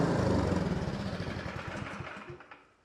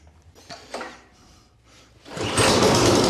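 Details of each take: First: Two-stage snowblower engine that previously ran only on choke and surged and died in run position, after complete disassembly and reassembly; in full run position, steady even single-cylinder chugging, no surging, burning cleaner; normal running. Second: Troy-Bilt Storm two-stage snowblower that sat unused in a garage, switched from full choke to run; after a few clunks the engine starts, runs hard, then sags and fades, a surging problem that only runs on choke. The carburettor is to be taken off.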